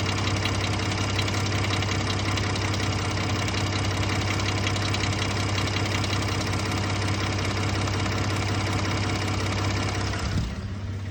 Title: Ford F-150 3.5L Eco Boost Ticking/Rattling. Phaser Rattle? Sound is intermittent. Not on start up.